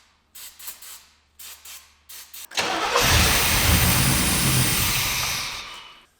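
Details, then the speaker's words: Abandoned 1989 Chevy Camaro 305 V8, sat in a field about 15 years, damaged spark plug wires, running on ether only with fuel system not yet fixed: short cranking bursts, then catches and runs smooth and even with no knocks; normal start and run. "we are at the point where we did get the engine running and it actually does sound pretty good uh that is running on ether only"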